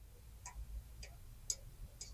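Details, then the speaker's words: 2021 Ford Bronco Sport, sway bar end link rocked by hand: faint, sharp clicks about twice a second as the ball joint wiggles in its cap while the upper one is tight. Worn, loose end link that needs replacing. "I don't know if you can hear that, but I can wiggle that cap. And that's kind of I tried the one up top and I can't wiggle the one up there. So, I think I need to get a new one of these."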